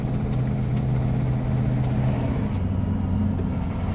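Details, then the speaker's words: International box truck, fully warm, foot to the floor: low drone under full throttle, choppy, coughing and sputtering, not climbing; misfire only above 1500 rpm, won't shift over 2000 rpm, cause unknown. "Coughing, sputtering, 35 minutes for him. My foot's barely on the pedal. Unacceptable. Foot's to the floor now."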